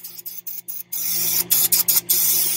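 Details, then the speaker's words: Pool filter air bleed valve opened after pump start: sharp on-off hissing settling into a steady rush of escaping air until water pours out; normal while purging air bubbles. "So you have to open it right here. You're gonna hear the hissing sound of air. It's normal."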